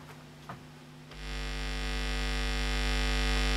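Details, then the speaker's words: Old Omnitronic DD2250 turntable connected through a mixer and amplifier to speakers: a loud, low 50 Hz mains hum with a buzzy edge swells in and holds steady. "if the timetable is connected to this mixer and to the amplifier into the speakers i can hear the loud noise from the electricity net"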